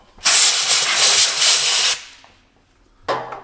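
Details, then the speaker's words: 1966 Cadillac DeVille stored about 30 years: sharp high hiss of less than two seconds, then a shorter burst, as pressurised coolant escapes through a hole in the outer radiator core. Radiator leak, to be cleaned and resoldered. "yep there's our culprit right there so let's see if I can get that cleaned up enough to resolder that hole"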